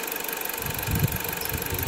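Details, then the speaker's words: Dodge Journey 2.4 with a replacement used engine, idling smoothly at operating temperature with zero codes after a faulty new Duralast sensor was swapped for a used original; soft, even pulses, no knocks or misses. Normal idle. "bueno pues ya trabajó un buen rato no hay problemas problema era el sensor de de escape"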